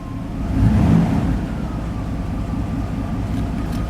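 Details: Old car on a new battery: engine runs low and lumpy with an uneven hunting idle, near stalling; owner suspects a stuck IAC valve, later resetting its position; muffler also has a rust hole.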